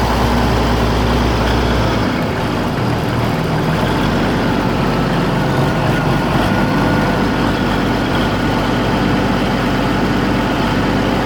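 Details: Oliver 1600 diesel tractor, hours unknown (clock broke at 1100), valves checked: fairly even at idle, then at mid-range rpm coughs and stumbles unevenly; fine at PTO speed; owner suspects the injection pump, possibly energy cell, unconfirmed.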